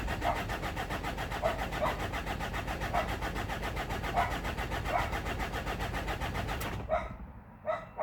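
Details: Mazda BT-50 3.0 diesel no start, no codes, low fuel pressure: starter churns at an even steady pace about seven seconds without catching, then stops; failed fuel pump.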